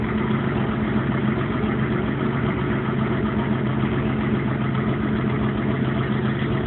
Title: Ticking/knocking noise